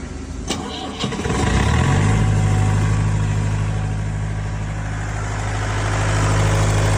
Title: Hard starting #diesel #engine #injectionpump